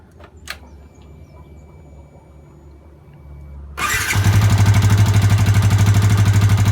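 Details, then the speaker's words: Yamaha Vixion (same engine as Jupiter MX), radiator removed: after starting, a hard regular tapping knock that follows the throttle, from a worn, undersized piston and bore (piston slap). "ini suaranya piston ini piston yang bodol"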